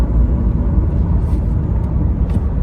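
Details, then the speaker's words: Mercedes A-Class W168 A170 CDI diesel on a test drive at highway speed; steady low road and engine rumble in the cabin, no knocks or whines; noise judged acceptable, not catastrophic; normal highway cruise. "le bruit ça va c'est pas catastrophique on peut même voyager avec cette voiture"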